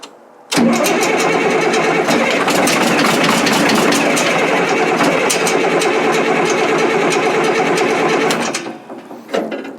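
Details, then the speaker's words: Caterpillar 977L track loader diesel: long steady cranking at about three beats a second, smoking but never firing; fuel is leaking and it is losing prime, suspected fuel starvation. "I'm really surprised that it's smoking so much but it won't run you know"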